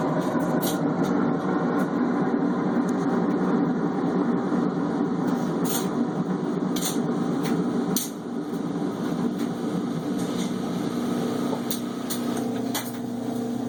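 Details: Cabrio washer running: loud steady droning hum broken by irregular knocks; abnormally noisy, cause undetermined.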